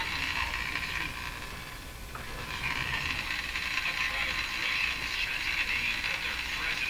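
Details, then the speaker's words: Addison 5A tube radio after replacing its last wax capacitors, tuned on the broadcast band: raspy crackling buzz over steady hiss with no station, which is interference in the shop rather than a fault in the radio. "so the buzzer hearing is not the radio it's interference in my shot"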